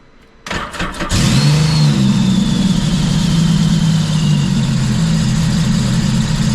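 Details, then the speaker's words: 2014 Scarab 195 supercharged jetboat, 300 hours, bought after it shut off and locked up, now after repair with exhaust redirected and resonator deleted: quick cranks catch and settle into a steady even low idle, no knocks or misses; run without water test, no codes. Normal start and idle. "So, I really didn't water test this, but I did run it. Um, it did run perfectly fine. No codes."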